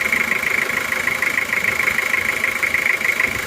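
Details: Toyota Kijang diesel (Panther engine) after an overhaul with new liners, oil, oil filter, sealer and gasket glue, still being broken in after 3 km. Crisp, even clatter with no misses or knocks; a normal, smooth, healthy diesel idle.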